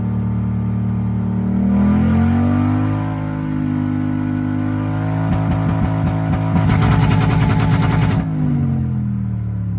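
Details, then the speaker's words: Toyota 1UZ V8 revived after sitting a few years, after running 10:1 fuel/auto trans oil mix to clear suspected stale-fuel blocked injectors: blips and settles to an even steady note, no stumble; misfire seemingly cleared, running smoothly. "it's just about just about cured itself I think well seem cleared up it's running pretty minty now so over the moon with that"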